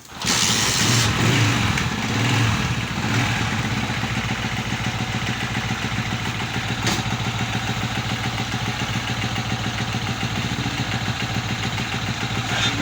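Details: Honda CG 125 motorcycle, after a push rod replacement to fix noise and poor speed, starts with a brief rev and settles into a fairly even single-cylinder idle with no heavy clatter. Slight residual noise remains: normal idle.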